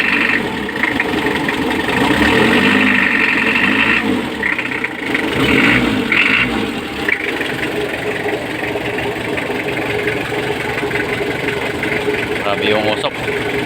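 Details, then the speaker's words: Mitsubishi L300 diesel that won't start on the key but starts by push: loud, sharp rattling knock about four per second over a rough idle, with smoke; injection pump timing too far advanced, with the four 12 mm nuts loosened so the pump can be retarded. "ang gagawin natin is kitan na lang natin yon para mawala yung fuel L ang gagawin niyan is iatras natin konti yung injection pump"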